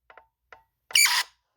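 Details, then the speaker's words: Traxxas Slash brushless motor, output shaft held stalled by hand while throttled: short chirps then harsh high-pitched screech, also heard under hard braking or starts; cause found to be a loose rotor magnet. "I can't find anywhere on the internet if that's normal or you know like oh what do I even search uh bound up output shaft brushless motor sound or something"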